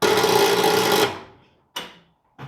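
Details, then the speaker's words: Engine unstarted for 42 years, not yet fully lubricated, tried on a battery: about a second of high steady electric whir, no compression beats, cuts out; engine not turning, owner suspects insufficient battery. "just trying to get the cylinders to turn off the starter but i don't think the battery's got quite enough"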